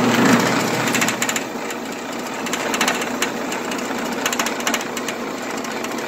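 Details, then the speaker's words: Old Sears Craftsman 12-inch band saw, probably untouched and untuned for a long time, running unloaded: a loud, uneven clatter and rattle several beats a second, far rougher than normal. The owner thinks tuning would quiet it; not confirmed. "I have no idea how old this Sears craftsman one is but I'm thinking it's quite old anyway here it is what it sounds like when you turn it on"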